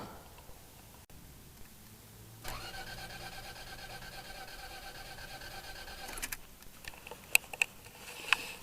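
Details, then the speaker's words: Truck that died while driving in a snow storm, after replacing the fuel pump: starter whirs steadily about four seconds but engine never catches; cranks, no start, fuel pump still doesn't seem to turn on, owner suspects a fuse. "as you can see it's still not turning over i don't know what the heck the problem is now"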